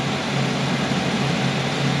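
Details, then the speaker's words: 2008 Chevy Equinox 3400 engine after head gasket replacement, running several minutes with thermostat open: smooth steady idle, earlier lifter tick gone, no check engine lights. "she's running good smooth the little tick from the lifter's gone away no check engine lights"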